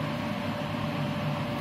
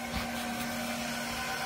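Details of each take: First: Haas TM1 CNC mill spindle running after drive belt replacement and re-tensioning, with its loud spindle fan; smooth even hum, steady fan air noise, no rattles or belt slap, sounding as it used to, though untested cutting metal. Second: Haas TM1 spindle after belt replacement, warm-up program at 1,000 rpm: steady high whine over a light motor hum and no housing vibration felt. The spindle cooling fan is not running; belt tension is still in question.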